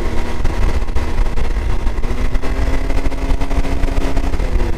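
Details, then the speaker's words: 2022 Can-Am X3 DS Turbo 120 after installing a P Drive primary clutch, held at 5100–5300 rpm: steady even drone, clean tone, previous 5100 rpm clutch rattle gone and much quieter; normal primary clutch at high rpm. "I'm gonna get it up here to 5100 5300 and we're going to see what she sounds like oh man A lot quieter that is so much nicer"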